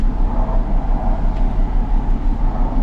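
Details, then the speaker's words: 2004 Ford Mustang after ball joint and front end repair, idling; loud uneven rumble lurching and dipping; power balance test shows cylinder 2 misfire, likely P0302 code; running bad; one-piece coil assembly. "Cylinder 2 misfire, so that means it probably has a P0302 code. Now I'll go out to codes and we'll see what we get. Ooh, it's running bad."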